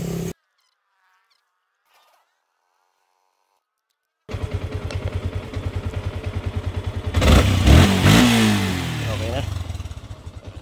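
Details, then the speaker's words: Sniper v2 motorcycle after repair for stumbling/misfire under hard throttle (fluctuating fuel pressure, throttle cable): steady single-cylinder idle, then a clean quick throttle blip and smooth return; throttle and RPM now responsive, normal revving. "Yan responsive responsive na yung kanyang throttle at RPM."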